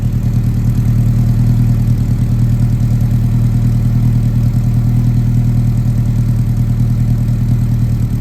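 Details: 1967 Alfa Romeo Giulia 1300 TI warming up after mid-January cold start, recently sorted (timing dialed in, fuel pump relocated to rear, brakes serviced): steady, even low idle with regular pulse, no knocks or misses; normal warm idle.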